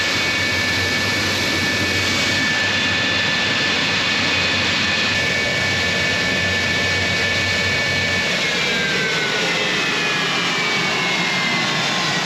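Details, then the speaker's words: Collings Foundation jet's J79 turbojet engines on a ground engine run after leak repairs: a steady high turbine whine over a roaring rush, pitch holding level, idling smoothly and healthy after a successful run. "All right everybody, that was a successful engine run."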